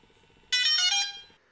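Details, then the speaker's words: DJI Phantom 3 Pro remote controller powered up with a short press then a long press: short click followed by a bright electronic chime about a second long; normal power-up beeps. "power up the controller first by clicking the power button with a short push then a long push until you hear the beeps"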